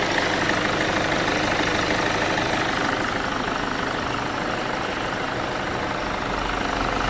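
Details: Loud, coarse, harsh diesel clatter at idle with a fast uneven beat; owner reports the noise changes when a turbo part is removed and returns when refitted, turbo suspected but not confirmed.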